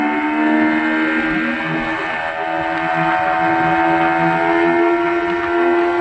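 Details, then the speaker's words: Yamaha 15 hp outboard after fixing a leaking reed valve and a clogged carburetor that made it die at low rpm in forward gear: with the throttle released it holds an even, steady note without stalling. "saya lepas saya lepas Iya tidak mati lagi sudah jos sudah bagus mantap"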